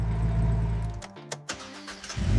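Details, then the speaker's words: Wrecked BMW rebuilt in one day, engine pulled, inspected and reinstalled: engine sound drops away, a few clicks, then fires promptly and settles into a steady rumble; normal engine start after restoration. "this is how a BMW is supposed to start."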